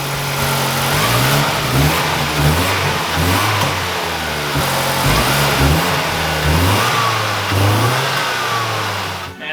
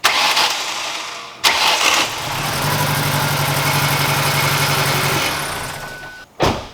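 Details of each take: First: SVT Ford four-cylinder after fixing spark plug wires, one of which wasn't touching its plug and caused a misfire: quick smooth even revs with no stumble; now running cleanly on all four cylinders. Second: SVT car engine after timing was reset several times, firing out of the exhaust: catches after cranking and runs uneven and lumpy like a dead cylinder; misfire later traced to a spark plug wire not making contact.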